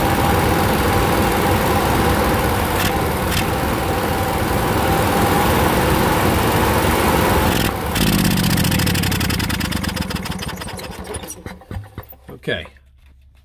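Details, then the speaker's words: Onan QG 5.5 RV generator: steady drone, then a fault is deliberately induced by hitting a lever so the governor can't regulate speed; speed sags and stumbles unevenly until the engine dies. "all right so what i did i hit this lever made it couldn't regulate the speed"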